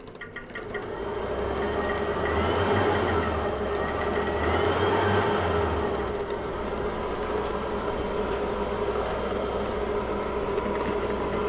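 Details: Merrychef Connex oven blower motor driven by VFD speed controller, commanded at 50% during speed-control test (about 5 V DC on return wire); steady rushing fan noise that swells then holds even pitch, no rubbing or grinding; normal.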